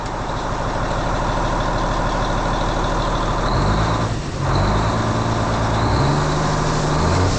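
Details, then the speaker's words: N14 Cummins diesel idling after a cam job with new cam bearings, cam followers and adjusted valve train: a steady, even low rumble with no ticking, and the valvetrain sounds quiet. Normal idle. "I'm telling you hear no ticking now we got it"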